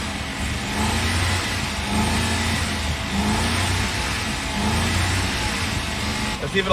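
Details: 2006 Ford F-150, 198,000 miles, oil-starved, restarted after water was cranked out with plugs removed: lumpy uneven idle with irregular heavy thumps under the exhaust note; rod knock from bent connecting rod.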